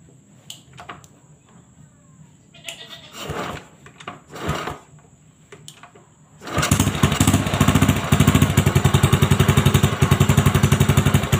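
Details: Honda Supra X 125 after fitting a new complete cylinder block set, replacing a crooked rebore that left smoke and block ticking; after handling noise the engine catches and settles into a quick, steady single-cylinder beat with no ticking.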